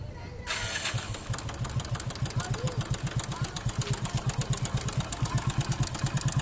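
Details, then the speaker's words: Hero Honda 100cc motorcycle, which has no timing chain adjuster: the engine settles into idle with a quick, steady metallic rattle on each firing pulse. A worn, slack timing chain is confirmed; it needs replacing or adjusting. "Okay friends, timing chain sound అంటే ఇది. మనకి ఇంజిన్లో timing chain పోయింది అనేది confirm అయింది."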